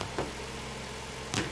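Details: Lincoln MKT after fuel pump replacement fixed lean codes P0171/P0174, with fuel pressure above 55 PSI. Quiet, even idle hum with no misses or hunting, just faint clicks; running smoothly.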